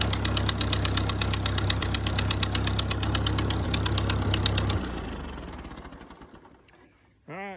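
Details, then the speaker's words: Ford 8N tractor after flood submersion, plugs, points and contacts cleaned, oil likely contaminated: uneven chuffing idle near 170 puffs a minute with sharp ticking pops each beat, then shutdown; runs rough with an exhaust leak. "sounds a little rough she's got an exhaust leak but she does run"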